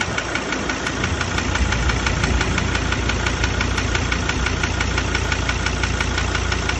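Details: 2017 Ford Ranger, 67,000 km, no power loss or oil consumption: steady rapid ticking knock about three per second over the idle rumble; injector or internal engine fault suspected, not confirmed.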